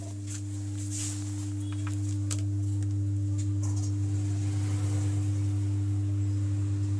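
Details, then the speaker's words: Home theater subwoofer, USB board fine: constant low drone around 100 Hz with a higher tone replaces the music, unchanged by volume or power cycling; humming from faulty subwoofer amplifier IC. "इसका सब ऊपर में sound नहीं आ रहा है sound आना चाहिए लेकिन इस तरह का साउंड आ रहा है"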